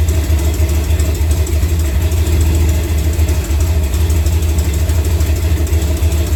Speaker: That's why you hear the little tick, tick, tick, tick, tick. Got an exhaust leak because I ain't got a bolt.